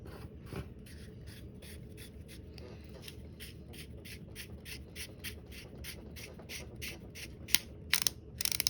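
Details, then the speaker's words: Fishing reel during service (an Ambassador 5500C, per the speaker), after the stretched wire clip spring was squeezed back and reinserted so its ends hit the part: crisp, light clicks at two or three a second as it rotates, evenly spaced with no skips; the clicker is working. "now those little ends of the spring are hitting on this piece right here so that as it rotates it will now make the clicking sound"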